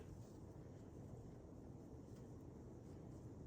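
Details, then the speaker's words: 2000 Hunter Original 52-inch 5-blade USA-made ceiling fan, weathered brick, on medium (nearly like high): soft steady whoosh moving air, no ticks, rubbing or wobble; normal running. "Here's medium. Medium is kind of like high. You can hear it moving stuff around."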